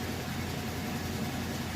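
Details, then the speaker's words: Maytag top-load washer, final spin of an express wash with a heavy load of mostly jeans, after a new clutch assembly and motor coupler fixed a previously weak spin: even, steady fast low rush, no wobble or thumping; normal fast spin. "It's not wobbly or off balance or anything like that, but you can actually hear that it is spinning very fast."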